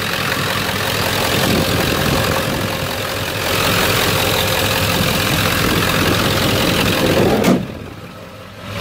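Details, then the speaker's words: 1997 Ford F250 HD 7.3 diesel after replacing all four valve-cover harness connectors and two gaskets to fix a bent-pin injector misfire on 1 and 3: steady even idle clatter, no shake or missing, truck stable, power back. "all right here we go way smoother as you can see it's not shaking nearly as bad that's just normal engine before it was like all over the place truck's stable"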